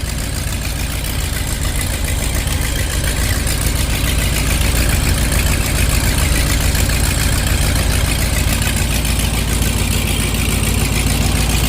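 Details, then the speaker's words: 1986 Ford F150 351W with Holley Sniper EFI and HyperSpark distributor, after correcting distributor timing: loud, even V8 idle with a steady low rumble and no misses or knocks; runs smoothly. "Holy cow, look at that. Has a bit of spring on that."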